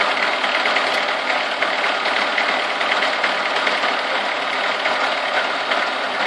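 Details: Chevrolet Niva, cold start warming from 30 to 70 degrees: light, uneven tapping, a couple of knocks per second over a hissy engine note; source of the knock undetermined.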